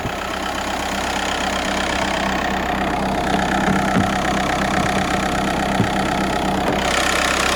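Diesel idling with a steady low whine riding over the engine and a faint uneven rattle, pointing to a failing alternator.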